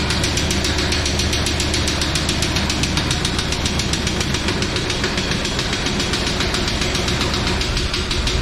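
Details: 1999 Chevrolet Tahoe that sat 14 years, running with 60 psi oil pressure and some smoke, transmission decent. A loud, rough idle with a hard, regular knock about two or three per second. The engine is judged blown; engine knock.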